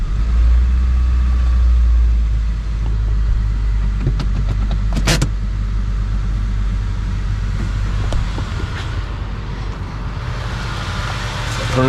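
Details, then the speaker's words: 2003 Honda Civic (code P1420) idling right after catalytic converter replacement: smooth steady idle with a deep even exhaust note, no ticking or puffing, no exhaust leaks heard; the replacement did not fix the code. "a kitten beautiful yeah i don't hear any exhaust leaks this sounds good"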